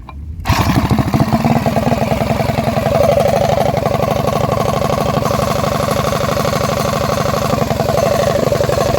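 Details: 236cc stroker Predator 212-based Motovox mini bike with DED billet head, freshly finished and repainted, fired up not too hot for a shakedown run: single-cylinder settles into a crisp, even rapid putter with no knocks; running healthy, very fast so far.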